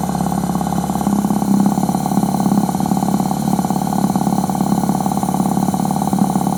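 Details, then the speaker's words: Suzuki 1100G with Mikuni carbs, cleaned after sitting, cold engine just started: even, steady idle with quick regular pulse, no stumbles or misfires; idle fine though smells rich, dies on throttle opening once warm. "so I'm trying to open the throttle now to CH it's a pretty cold engine let's let it warm up a little"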